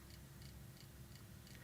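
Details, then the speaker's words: IBM PC 5150 power supply on the bench, first power-up: sharp even clicking about three per second over a low hum with the fan running, 12 V rail at 9.9 V, 5 V correct; likely too little load. "And the fan isn't even that bad. I can hear it clicking."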